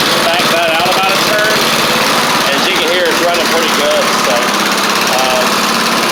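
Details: Kohler Courage single-cylinder engine on a Troy Bilt Bronco riding mower, after drilling out the carb jet. It holds a steady, even idle with no surging or misses and runs smoothly.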